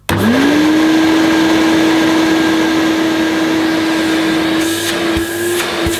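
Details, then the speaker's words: Hoover Portable Cleaning Center vacuum, American made, first switch-on after unboxing; motor spins up in half a second to a steady even hum, no rattle or wavering, quieter than owner's portable, suction good; normal running. "well it seems quieter than the portable that I had the portables for my memory and the suction isn't bad at all either well it sounds pretty sweet to me"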